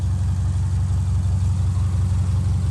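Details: Subaru with a replacement 2.5 SOHC boxer flat-four, fitted after the original ran low on oil and locked up: smooth, even low rumble at idle with no knock or tick; healthy idle.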